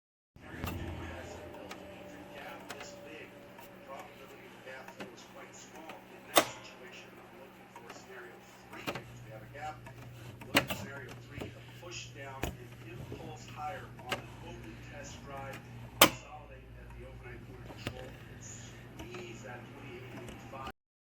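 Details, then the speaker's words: Singer embroidery/sewing machine hums with sharp clicks as the needle rises and feed dogs drop, striking an incorrectly seated throat plate; not the needle, reseating the plate stopped the clicking. Feed dog clicking from misaligned throat plate. "It kept on making a clicking noise when I was embroidering, and all of the videos that I saw kept saying it was the needle, but I knew it wasn't the needle because the clicking noise happened when the needle was up in the up position"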